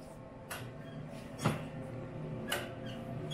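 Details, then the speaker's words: 1986 EZ Go Marathon golf cart, battery likely flat: a few sharp clicks about a second apart with no engine cranking when key turned; later turned over when placed in reverse; starter solenoid clicking, no crank. "can feel i can hear something clicking but i don't hear the motor doing anything so um on to the next thing"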